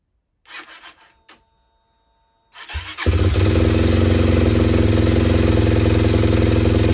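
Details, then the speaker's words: SWM RS125R single, 9,564 miles, after top-end rebuild with valves and timing set, coolant pipes not connected; fires and settles into a steady even beat around 214 a minute with light metallic jingle and black smoke burning off oil; running fine. "That's running. A bit of a jingle, but the wall comes spinning [Music] out."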